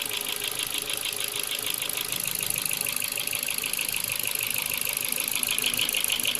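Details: Ford Focus 2, 1.6 L 100 hp, piston group replaced last summer without boring: light fast ticking about three per second over idle; owner suspects valves or cylinder wear, unconfirmed.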